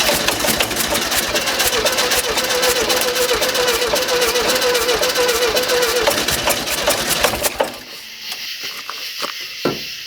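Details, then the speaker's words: 1971 early-bay VW bus, first start after new carburetor fitted with empty float bowl and fuel filter: engine catches and races hard with fast busy clatter that never settles, then cuts out; throttle cable hung up, return spring possibly too weak. "Well, my throttle cable got hung up for some reason. I don't know if this spring's tight enough to draw it back."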